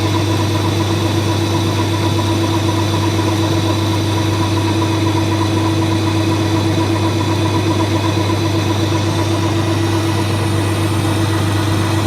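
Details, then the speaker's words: Colchester Student lathe handling a cut after facing: steady loud machining drone with a sustained ringing harmonic; chatter from long unsupported bar stock overhang. "all right so it handles the cut but you can hear the harmonics and you can see them and that's because there's all this bar free"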